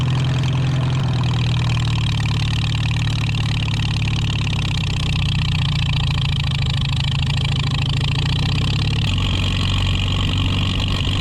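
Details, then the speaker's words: 1949 Farmall H tractor, first start after sitting for years: settles into a steady, even low chug with no knocks or misses; sounds more loaded but smoother; a coolant leak is noticed. "It sounds like it's loaded more, but it's smoother."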